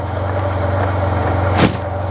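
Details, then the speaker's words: Project 2009 Yamaha T-Max scooter, bought not working, fuel on empty, run briefly: low, even idle with a steady unbroken beat and one brief background bump; quiet normal idle. "and it's quiet it is a nice quiet bike that's pretty go pretty darn good"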